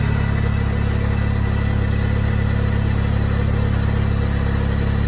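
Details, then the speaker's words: Supercharged Mini Cooper S after fixing an air leak, jump-started: steady even idle with smooth unbroken beat, no hiss or stumble; air leak gone, normal idle. "i'd probably say that has fixed it but i can't get over the sound of supercharger"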